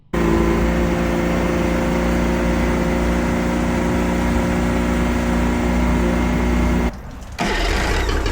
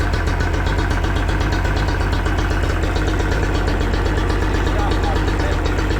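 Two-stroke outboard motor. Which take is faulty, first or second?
second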